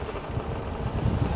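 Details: Old Mercedes-Benz W124 revived after long standing: low, steady idle with an even, unhurried pulse and no misses or knocks; the engine idles smoothly.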